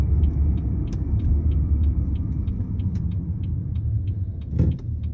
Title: screeching whining noise from rear end